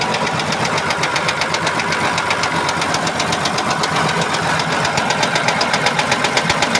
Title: engine knocking